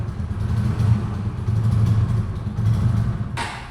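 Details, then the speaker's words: A TVS Raider motorcycle, repeatedly serviced and left parked for two days, is kick-started with petrol on. It makes a rough, uneven low thumping that sags and fades as the engine stalls soon after starting; the cause is unclear. "ಈಗ start ಆಯ್ತು of ಆಯ್ತು ಈಗ minimum 10 ರಿಂದ 15 ನಿಮಿಷಗಳ ಕಾಲ ಇದನ್ನು rice ಮಾಡಿ ಇಡಿ of ಆಯ್ತು ಸ್ಟಾರ್ಟ್ ಆಗ್ತಾ ಇಲ್ಲ ಆಫ್ ಆಯ್ತು"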